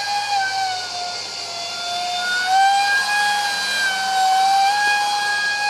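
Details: Su-35 RC jet EDFs, 5-blade rotors, 2600kv motors on 6S: piercing high whine wavering with throttle, shrill overtones; vibration from cheap shaft adapters and mounting pads detached by vibration.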